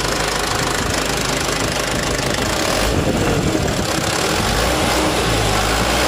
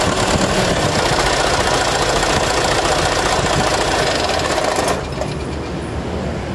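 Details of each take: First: Mitsubishi Canter HDL 136 refrigerated box truck diesel after replacing the broken injection pump timer, bearings found unscratched: runs smooth and even with steady rhythm and no knock or rattle; normal running after repair. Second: Mitsubishi Canter HDL 136 refrigerated box truck diesel with a rough, shaking idle; coarse, unsteady clatter with shifting level; suspected, then found, broken injection pump timer, fragments reaching the oil pan.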